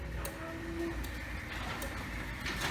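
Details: Sommer Direct Drive garage door opener after reseating the pins, door cycling to relearn force and travel with safety light flashing: quiet motor drone, light ticks, soft rising tone; normal operation.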